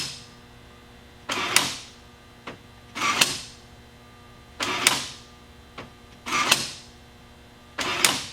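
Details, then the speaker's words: 2005 BMW E39 5-series, newly replaced right rear door lock actuator after the old one failed and left the door stuck shut: crisp paired clunks repeating about every three seconds on a quiet background; actuator locks and unlocks properly. "I'm gonna press the button and I can hear that it's working"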